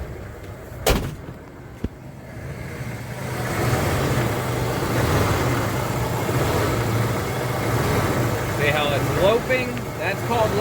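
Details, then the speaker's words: 1995 Ford F-150 4.9L (300) inline-six, manual five-speed, check engine light on, before throttle position sensor replacement: idle surges high then sags almost to stalling in a slow uneven lope; cause unconfirmed. "that means that it idles high but it almost dies and then um project truck trying to uh keep it running and going"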